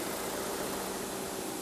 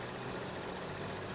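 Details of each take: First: Ford Edge at idle with scope and pressure transducer fitted: steady even idle hum with a faint constant whine and no ticks, knocks or misses; engine runs smoothly. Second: Ford Edge that the owner believed needed an oxygen sensor, idling with a scope connected. The petrol engine jumps and runs badly with a dull, uneven churn and no clean beat; rough idle traced to a timing chain fault.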